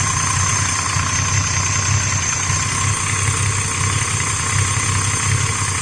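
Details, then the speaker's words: 1982 Mercedes-Benz G280E with CIS fuel injection idles steadily with a low, slightly uneven pulse; a rear fuel-line leak drops fuel pressure after a front loose-clamp leak was fixed, and CO mixture tuning is still needed. "Because these cars here, the CIS system, alright, what happens is they rely heavily on actually fuel pressure. So if there's a hole at the back there, so the fuel pressure will drop."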